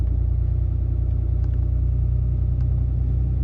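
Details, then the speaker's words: 2018 Ram 2500 with the 6.7 Cummins diesel, outdoors in cold, windy weather, manually set to high idle through the cruise control buttons for warm-up. A steady, smooth diesel drone at about 1100 rpm with no rattles. Normal high idle. "That's like 6 times I just pushed it, and right now she's idling about 1100 RPMs."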